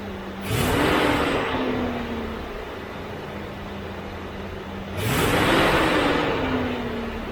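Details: C3 Corvette with Chevy 350 V8 after replacing the fan clutch, whose old one failed to disengage and made revs hang after lifting when warm: two quick blips each dropping straight back to steady idle, no hanging revs; normal after repair.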